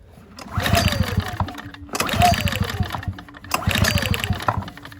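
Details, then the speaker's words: Ryobi RYi2322 inverter generator bought as non-running, sprayed with starting fluid: three recoil pulls, each a quick whirring rattle dying away without firing; no start because spark plug boot left disconnected. "Oh, I forgot to connect the spark plug boot. I had that taken off."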